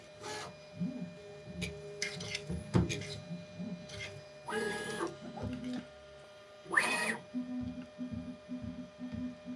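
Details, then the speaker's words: Bambu Lab A1 Mini Combo FDM 3D printer (with AMS Lite) on its first-run setup, after the mechanical resonance test: short, evenly repeating stepper buzzes with brief pauses as the head taps the bed point by point, measuring and adjusting bed height; normal auto bed levelling. "So, what it's doing now is it's actually measuring the bed and adjusting the bed height."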